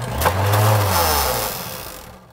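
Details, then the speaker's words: Kenmore Progressive Canister 21514 vacuum, reported broken belt, reset and brush roll checked free: nozzle motor drones coarsely, surging then winding down, sounding terrible and smelling of burning; wet mud inside suggests water damage. "it's running now but it sounds terrible so oh it smells like burning"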